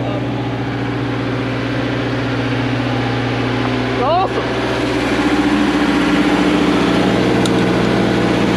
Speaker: awesome I it runs like a brand new one it does